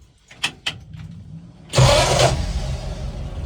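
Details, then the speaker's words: 74-year-old vehicle "Ned": a couple of short cranks, then it catches at once and settles into a steady, even idle; runs like a clock. "Boom. Chiboum. That's it. Run like a clock."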